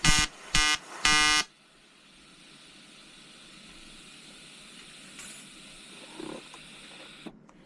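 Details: EWM Tetrix XQ 230 Puls AC/DC Expert 3.0 TIG on 5000-series aluminium with 2.4 mm 2% lanthanated tungsten and 2 mm filler: three short bursts of harsh, steady buzzing with a hard edge, then quiet; a normal AC arc.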